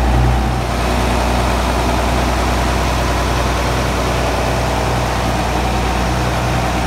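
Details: John Deere 7520 tractor, first start after 10 to 13 years stored in a shed, cab removed. Started on the first key turn after adding batteries, radiator water and fuel. Deep, even diesel idle with no knocks, misses or surging.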